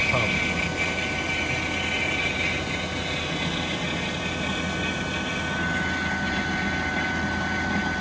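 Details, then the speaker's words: Vacuum pump evacuating a new R448A walk-in flower cooler system, just after changing its contaminated oil: steady, even drone with a faint high whine and no knocks, surging or grinding; pump running healthy. "that's what i love about this vacuum pump i absolutely love this feature"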